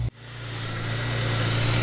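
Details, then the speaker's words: High-mileage BMW E46 M3 with SMG gearbox, cold start in neutral after long sitting, not revved: steady even idle with smooth low hum, no knocks or ticks; sounds good. "let's go have a little listen to the engine let that tick over i won't rev it because it ain't been rev for a long time"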